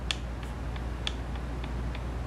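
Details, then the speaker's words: Holley double pumper carburetor off a 1973 Camaro Z28, throttle base plate repair: light, sharp clicks in bursts as the primary throttle shaft is rocked by hand, showing play that needs shimming. "that's the actual play in this one so unfortunately i got to do this one too"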